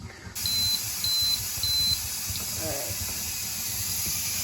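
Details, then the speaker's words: Carey electric pressure canner venting before switching valve to airtight, canning chicken broth: three short high beeps about half a second apart over faint kitchen noise, signalling venting finished before pressure build and 25-minute countdown. "That is it venting to get the pressure up inside the canner. Once it beeps at me, then I'm just going to close that valve to airtight,"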